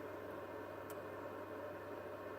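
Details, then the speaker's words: Xfinity X1 cable box recorded at the side air intake, powered off with only the clock lit: a constant airy whoosh with a faint steady hum from the central cooling fan, loud and unchanging. "so just a little short video showing you how loud these proprietary cable boxes are"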